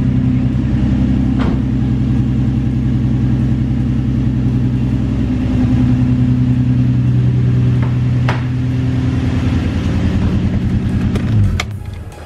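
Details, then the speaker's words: Infiniti G35 V6 (same as 350Z), recorded at the exhaust at idle: uneven idle with an irregular stumble, one cylinder missing. Random misfire, worst at low rpm under throttle, now continuous with a check engine light; spark plugs and ignition coils replaced as the fix. "and so basically what it started out with was a random stumble mostly at low rpm uh high throttle position or medium throttle so i take it off from a red light or something like that it would just uh stumble every now and then"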